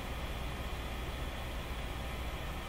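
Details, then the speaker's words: Canadian General Electric C701 console radio powered through a dim bulb, at full volume with nothing playing: only a faint steady hiss and low background rumble; normal amplifier hiss. "just a bit of hiss"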